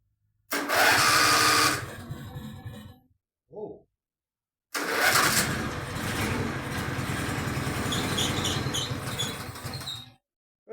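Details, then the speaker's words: Contax tractor engine revived, penetrant down the cylinders, throttle shut: small single-cylinder engine catches and runs with a shrill, wavering squeak over it; the slightly rusted electromagnetic clutch underneath is squealing. "hey, it runs. Success. That horrible squeaking is the um clutch underneath."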